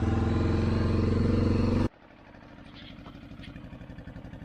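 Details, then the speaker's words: 1984 Honda Big Red 200 three-wheeler, restored after sitting about 25–30 years, with a new battery, a reworked gas tank and a carburetor. A loud run drops to an even single-cylinder idle at about four beats a second without stumbling; idling properly. "well I got my three wheeler back he's got it running like a top"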